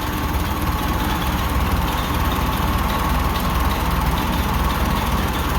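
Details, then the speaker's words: Ferguson TO-20 tractor after cleaning valve rotator pucks to cure tapping and screeching, valve lash checked at 13: steady, even low idle with no valve tick; some belt noise present. "okay got her purring you can't really tell the Fiat belts making a bunch of noise here I'll be quiet it down no Ticky Ticky"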